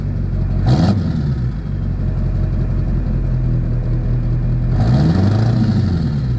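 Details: Duramax diesel after stainless steel exhaust up-pipe installation: even clatter at idle with two clean throttle blips rising and falling smoothly; runs healthy and steady.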